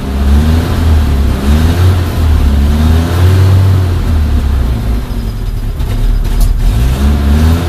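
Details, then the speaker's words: Suzuki Samurai/Jimny 1300 SJ413 JA51 with newly fitted Toyota 3K-C carburetor, probably needing adjustment: revs rise and fall unevenly, dipping and hesitating with the throttle held; stumbling as it runs out of fuel. "okay yeah running out of gas but anyway so that should be it"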